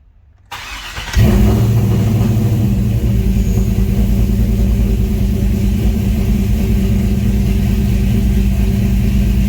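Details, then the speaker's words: Trailblazer SS V8 on a corrected ECM tune with the stock 82 mm throttle body: quick crank, then a steady even idle just under 1,000 rpm. Coolant 150–160°F, no check-engine light, air-fuel bouncing slightly lean. "I got no check engine light, no reduced engine power. The coolant temp right now is a little bit 150s, 160. Idles a little below 1,000 right now."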